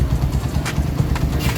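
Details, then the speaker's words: Honda Mega Pro Primus (GL-series engine), around 2010, after replacing worn cam chain, tensioner and related parts that caused repeated bent valves; even, steady single-cylinder idle chug with no chain rattle or top-end clatter, ready to ride. "Oke guys, sudah oke motornya, siap jalan lagi."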